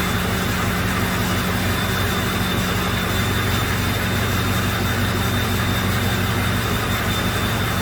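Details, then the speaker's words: 2005 Ford F350 6.0 diesel with misfire, at idle during cylinder contribution test: low drone turns rough and uneven when number four injector is disabled; cylinders four and seven weak, injectors suspected. "so that's interesting when i kill number four injector it sounds completely different"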